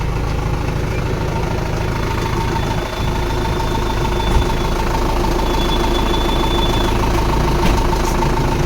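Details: Toyota Mega Cruiser diesel with a 24 V system, rescued for a no-start traced to a basic problem; after the fix, steady idle with an even low rumble and no knocks or misses; engine healthy.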